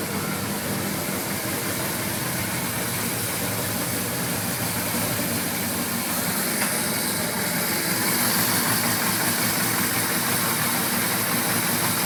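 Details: 1981 Suzuki GS850G after replacing cam buckets and reshimming valves (0.06 mm intake and exhaust): smooth even four-cylinder idle, top-end clack gone, though an intermittent tick remains, possibly plug wire arcing.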